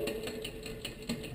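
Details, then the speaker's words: Bicycle rear derailleur with the high (H) limit screw set too tight: a quick, light ticking rattle as the chain tries to shift onto the next cog; backing the H screw off makes it quiet. "we get some some rattling noise and the rattling is that the chain is trying to shift to the next Cog so that's that noise there"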